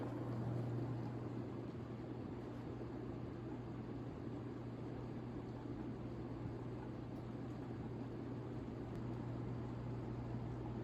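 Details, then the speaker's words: 1987 View Fan Spinner V36R 36-inch ceiling fan on high speed, slow to spin up, with a slight wobble. Quiet, steady low electrical hum with soft airflow, nothing rattling or scraping. Normal motor hum. "This is high speed. It does take a bit to get up to speed. It flies at a reasonable speed. It's not the fastest, but it is decently powerful. Aside from the hum, it's actually decently quiet."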